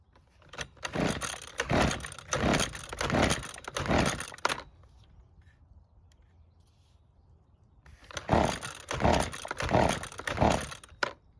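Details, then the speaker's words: Used high-hours Husqvarna two-stroke trimmer, previously poorly repaired, fuel in tank: two sets of about five quick rasping recoil pulls with no catch at all; no-start, suspected flooding or no ignition spark, unconfirmed. "So, it didn't even try and start, which is not good news. Now, there are a couple reasons why it wouldn't start."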